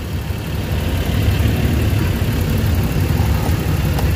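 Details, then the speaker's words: Suzuki DA64W turbo, after camshaft sensor replacement fixing a high, erratic idle, idling with the air conditioning on: holds a smooth, steady low idle under compressor load with no vibration or stumble. The engine runs properly. "So yung andar ng engine, okay lang. So malamig, panalo na. Yan. So nakita mo yung andar, napaka-kampante."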